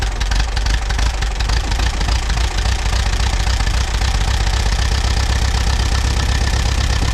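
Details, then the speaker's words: Allis Chalmers WD tractor, sitting about a year, started on battery plus jumper pack: heavy low thudding idle with an uneven, lumpy beat and rattles. Possibly missing on one cylinder, suspected moisture-fouled plug, clearing once it moved. "it sounds like it might be missing on one cylinder"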